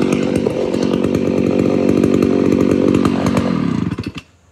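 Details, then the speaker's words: Homelite Super XL-925 82cc vintage two-stroke chainsaw, governor blocked off: high-rev scream then uneven rich four-stroke burble leaving the cut; tuned as intended, not four-stroking in a good cut. "so did you see how whenever i lifted this all up in a little bit it started doing the four stroking that's the way i want it"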